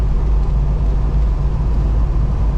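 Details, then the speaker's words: 1970 Pontiac GTO with LS swap, after setting pinion angle with adjustable control arms, near 65–70 mph: steady low road hum with no shudder or rhythmic beat; the former bad vibration above 60 mph and on lift-off is gone. "I mean, before you could run anything over 60 and it would vibrate really bad. And then when you let off, like it really vibrated. All of that is gone"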